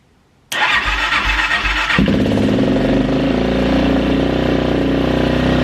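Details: Kawasaki KXF400 quad after carburetor fix, fed fuel from an external supply, fires first try, flares briefly, then holds a steady, even single-cylinder idle with no hunting; running healthy.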